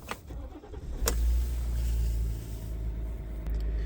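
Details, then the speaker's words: Diesel vehicle cold start done after waiting for the glow plug (coil) light to go off with key in run; brief crank, catches promptly and settles into a deep, steady idle without stumbling, a clean healthy start. "Insert your key in ignition and switch it to the run position and then wait until that coil light goes off and then start it."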